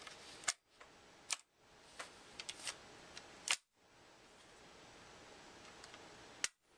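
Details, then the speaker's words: Marlin Model 60 rifle, reassembled after cleaning, empty function check: four crisp, clean metallic snaps with quiet between, no gritty scraping; action cycles smoothly, gritty before cleaning. "When I started, it was a little gritty. Now we cleaned it out, so it sounds a little bit nicer."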